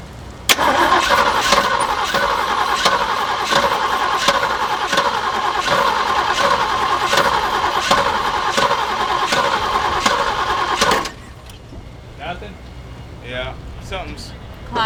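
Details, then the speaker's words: Jeep J10, believed a 1978 with a 360 V8, sat for years: steady starter cranking about ten seconds with no firing; no fuel reaching engine, fuel pump apparently not pulling fuel, owner suspects a broken hose before the pump. Cranking, no start from fuel starvation. "I'm wondering if it can't suck it past that pump is that pump's like supposed to be on or something that's why it's not running right there that's a hundred percent why it's not running"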